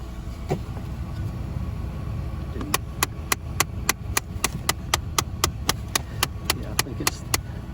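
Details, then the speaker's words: 2013 Dodge Avenger with 218,000 miles, key on: a sharp, dry click repeating three to four times a second from an HVAC door actuator behind the glove box, believed to be the right-side one, which is being replaced. "so I think that we're going to turn put the key in and turn it on to see which one sorry it is that's clicking"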